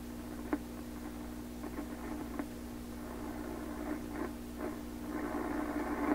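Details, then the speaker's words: 1928 RCA Victor Model 28V radio after replacing cartridge resistors with standard resistors: steady low hum with hiss and irregular crackly bursts and squeals, oscillation and noise only, no stations received yet. "I mean, this sound you hear now, that's a noise sound. All radios in here pick this up. That's a real noise signal."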